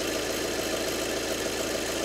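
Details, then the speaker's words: 2012 VW Passat 2.0 diesel at idle, bonnet open, mic near the front belt area; noise unchanged with AC on or off, owner requested a timing belt: constant gritty whirring rasp, no low thump. Seized and broken AC compressor. "i think that should be spinning i might be wrong so there you go that's the noise"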